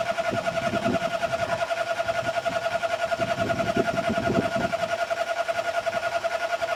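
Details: Car that won't start, cranked while pumping the pedal: a steady starter whirr with even compression beats about two and a half per second, never catching or firing. It cranks but won't start.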